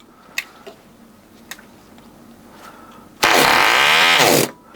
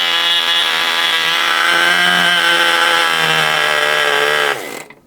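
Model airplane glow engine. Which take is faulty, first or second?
first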